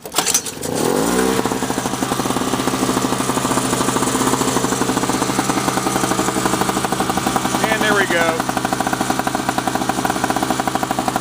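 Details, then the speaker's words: 2003 Sears Craftsman two-stroke snowblower, sat two years; carb was black/brown inside, fuel filter clogged, intake gasket replaced, spark plug seized in head. Fires after a brief crank, settles into smooth, even buzz with augers turning; normal running. "So it should only take me one pull to get this thing going, because this thing really is smooth. I basically say it's probably the smoothest one I've ever seen after running under for that."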